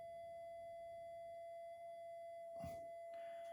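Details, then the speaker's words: Minelab GPX 5000 with loss of depth: steady detector tone shifts pitch after the mylar strip is flexed; micro breaks on one of its tracks scrambling the microprocessor suspected, not confirmed. "now it's it's also I Let Go it made a different tune you can hear it sort of change tone so what is actually do as far I as I can work out there's micro brakes on this Miler on one of the uh tracks"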